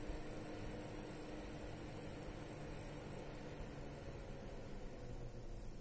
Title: Corsair HX850, squeaky, high frequency noise. Louder while under load.